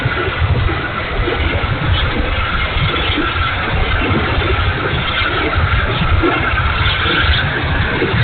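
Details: E-flite A-10 Thunderbolt II twin 64mm ducted fan, bad motor, run gently: rough gravelly whir with uneven hiss over steady fan tone; motor sounds coarse, cause not pinned down.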